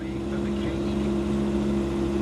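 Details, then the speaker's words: 2007 Volvo C30 2.4 litre five-cylinder petrol automatic, 91,000 miles, just started, engine light on: smooth, even low hum, steady tone, no knocks or misses; healthy, clean idle. "Oh, that sounds really good. Who'd expect a little hatchback to sound like this? That's really good."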